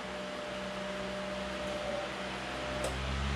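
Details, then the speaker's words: AC induction fan motor on the CyberPower UPS output after the wall outlet was unplugged and reconnected: humming died almost instantly and fan picked up, even whoosh with faint low hum, running smoothly at full speed; normal fan operation. "that humming died almost instantly and the fan picked up so AC induction motors of which this is one they like true sign way power"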